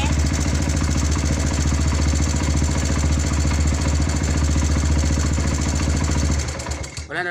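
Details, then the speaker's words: Kawasaki Barako 2 175 single before a tune-up and valve clearance adjustment. Steady idle with busy mechanical clatter over the beat; engine has become noisy, cause not yet confirmed. "So ngayon magbabypass tayo guys kasi maingay na."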